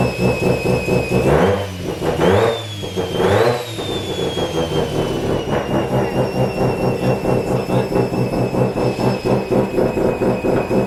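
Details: Mazda FD RX7 RS Series 8 bridgeport rotary with Hypergear T51R single-turbo conversion, first start, untuned, open dump with no muffler: a few sharp revs drop back to very loud, raspy pulsing idle with hissy edge; exhaust leak.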